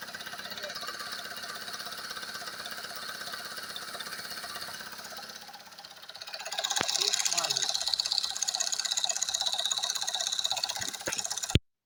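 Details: Recently repaired engine, quiet with no knocks when cold, now hot after revving. Oil pressure high, check-engine light off. A steady, regular light knock at about three per second over the warm idle, audible in the cabin; source not found.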